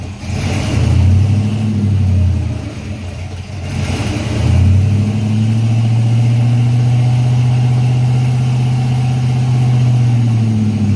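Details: Freshly built Chevy 350 V8 during break-in: catches, dips, then settles into a steady raised idle with an even deep beat, no tapping or knocking; oil pressure around 46 psi; normal raised idle during break-in.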